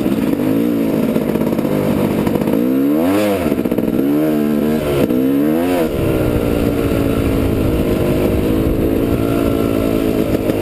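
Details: Yamaha YZ250 two-stroke on GoPro, clutch still slipping; new friction plates needed: revs flare and climb quickly in rising and falling bursts without the bike pulling harder.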